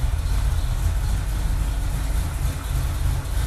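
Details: Freshly assembled carbureted engine with about three heat cycles, still being broken in. Deep, heavy idle rumble that stays steady with only slight wandering and no knock or tick. Normal idle, running fine.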